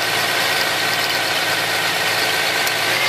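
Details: 1999 Toyota Sienna V6 with codes P0301 and P0304 at idle: faintly uneven, shaky idle that stays the same with one coil unplugged, showing that cylinder was already dead; misfire.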